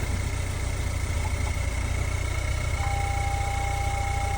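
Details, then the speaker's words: Vehicle at a towing-compound auction, started with a jump: low, steady, even idle hum with no knocks, ticks or misses; engine sounds quiet and running well. "Sounds really good. That engine on this one sounds really quiet. Sounds like it's running well."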